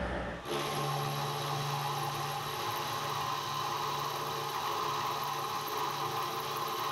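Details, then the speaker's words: Milling machine with NT30 arbor and 50mm face mill, cutters possibly dull: steady gritty rasping with low drone through the cut; suspected quill bearings, unconfirmed. "anyway don't think that cut is real sharp either and you can hear that bit of noise in the I don't know whether it's just quill need to in the bearings I don't know"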